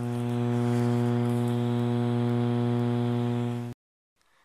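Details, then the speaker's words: 1970s Lenoxx/BSR AM/FM stereo receiver with turntable: loud, steady low buzzy hum that stops dead when switched off; owner suspects the capacitors need replacing, cause unconfirmed. "Tell me, why am I getting this sound from this crappy radio?"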